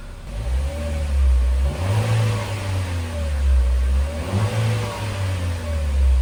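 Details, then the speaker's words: Chevrolet Trax after cylinder head removal and engine repair, coolant bled, warmed up with fan cycling automatically, no check engine light: revs up and settles in clean, even swells with no misfire, knock or rattle; normal free revving before road test. "Wala na siyang check engine. Maganda na siya i-rev. So road test na lang."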